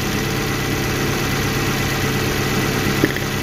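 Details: Suzuki APV (Mega Carry) petrol van that shook, stumbled and lacked power, after service and part replacement including cylinder 4 ignition: steady even idle with no missing beats and no vibration.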